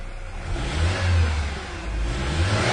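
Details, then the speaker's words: 1997 Ford Ranger with hard start and rough idle, fuel pressure below spec, suspected bad fuel pump: on throttle revs climb then sag and flutter, truck stumbles badly, explaining low power. Throttle stumble from low fuel pressure. "Yeah. When I hit the gas pedal right now, the truck stumbles terribly. So that explains why I had the low power on the test drive initially."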